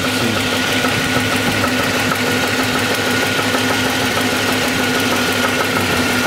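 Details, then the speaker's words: SS (per title) idling: sharp, uneven metallic knock, heavier from underneath; connecting rod knock, no doubt. "a little louder that's definitely a rod there's no doubt about it"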